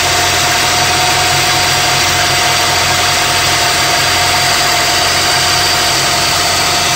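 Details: 2002–2005 EP3 Honda Civic Si hatchback at idle: constant high whine and gritty hiss over the engine from a worn water pump pulley bearing.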